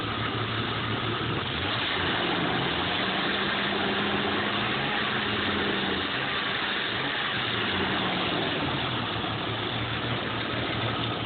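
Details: 1987 Jeep Cherokee/Wagoneer Limited at idle: an uneven, wandering low rumble that surges and sags every second or so instead of holding steady, a rough idle.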